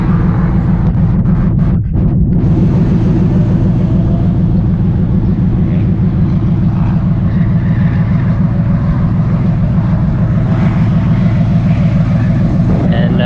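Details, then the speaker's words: Chevrolet Caprice with T56 and newly installed engine, on track at Grattan Raceway under load after a jump; loud raw uneven V8 rumble because new header collector gaskets and bolts fell out, causing an exhaust leak at the collector. "The car started making some loud noise. I don't know if you can hear that. But brand new collector gaskets and bolts. They're not in the car anymore."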